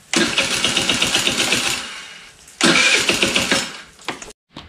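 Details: Scooter sitting for years: small single revs in bursts with rapid ticking clatter from front valve train, dies off throttle; owner suspected loose valve, no broken valves found, may need to adjust valves at TDC. Tight valve clearance.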